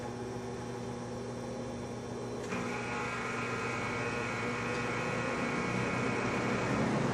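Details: Vintage McGraw Edison Zero box fan, about 1970s, freshly cleaned and oiled; reluctant to start on low, runs on high; smooth steady hum with even airy whoosh rising as speed steps up; switch has an old quirk; normal running.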